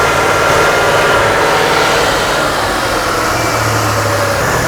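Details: Chrysler/Dodge/Mitsubishi 2.5L setting a P0171 lean code, fuel system confirmed good: idle stumbles with an irregular skip about four times a second, a misfire coinciding with the crank sensor signal dropping out while fuel trims climb positive.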